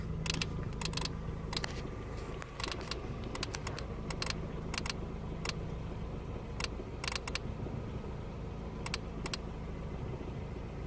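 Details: 2003 Ford Focus ZX3, running: sharp irregular electrical ticks in clusters over a low hum; headlights flash in sync. Disconnecting the battery cures it for 40–60 miles. Alternator (three times), battery, cables, fuses, relays and belts were already replaced; source unknown.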